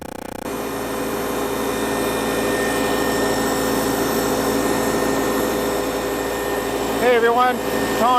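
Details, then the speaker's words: 1953 Farmall Cub running after its warped carburetor was dealt with: steady, even engine note with no knocks, misses or surging; sounds perfect, nothing wrong. "as you can hear behind the camera there is a perfectly running cup sounds perfect not a thing doesn't sound like there's anything wrong with it"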